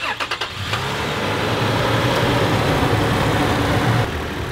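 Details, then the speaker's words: Brand new Toyota truck engine with 15,000 miles, cold start: catches after a few cranks and settles into fast idle with a light ticking valvetrain rattle, present since new and worse when ice cold; cause not confirmed. "Now even a semi-deaf man like me can hear that valve train noise in this brand new truck. And it's done it since it was brand new."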